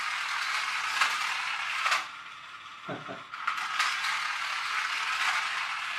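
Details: Magic Track toy car after a superglue repair: a fast, light rattling buzz from the small motor and plastic gears rises and falls as it laps the track; the drive runs normally.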